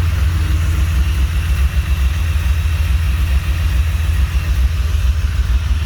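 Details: Honda J35 with BC cams and 12:1 compression, swapped back to normal rockers, still working out the idle. Low, lumpy idle with an uneven beat and small stumbles in the exhaust pulse: rough idle, cause not yet pinned down.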